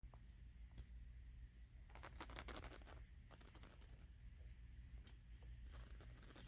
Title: apt breaker box does buzzing sound and makes sparks